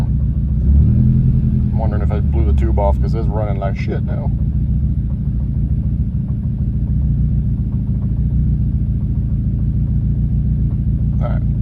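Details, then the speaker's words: Nissan Juke converted from MAF to speed-density tuning, after hard revs to build manifold pressure: engine settles into a lumpy, uneven low rumble instead of a smooth idle; owner suspects the tube under the hood, cause unconfirmed. "I'm also going to check the tube under the hood cuz now it's running really really off"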